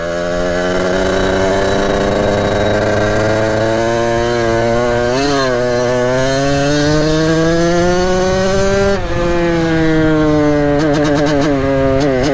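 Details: 1989 Kawasaki KX80 big bore two-stroke, ridden after jets were replaced: revs climb slowly with a buzzy, flat note that sharpens only late before dropping back; power comes in late, improved but still not right, still needs tuning.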